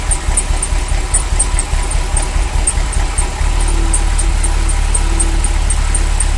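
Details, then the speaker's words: Ferrari V8 after new sensors fixed a misfire, fan belt loose: idle stumbles and chops when the wires/sensors for cylinders 5–8 are pulled, then returns to smooth steady rumble. "okay so this is cylinder uh cylinders five two um eight so when i pull it you hear it start missing"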